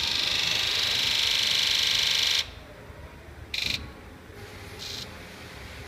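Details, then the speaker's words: 2001 Ford 7.3 Powerstroke, hard start and rough when cold, ambient in the 60s°F. Autoenginuity injector buzz test: rapid high buzzing, then short bursts, some dull and muffled instead of crisp sharp clatter. Sticking injectors. "okay you can hear how bad some of those were so we definitely have some injectors sticking here"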